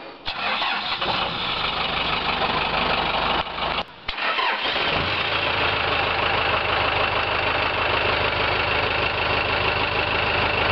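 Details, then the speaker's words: 1990 Chevrolet K5 Blazer with swapped 4-cylinder turbocharged Cummins 4BT diesel, mild climate start: brief crank, short pause, catches quickly, then steady even diesel idle clatter with no misses; normal start. "Let's start it up. This thing always starts really quick. Of course, I don't live in a very cold climate, but I've always been really impressed. It usually turns over once or twice before it starts to fire."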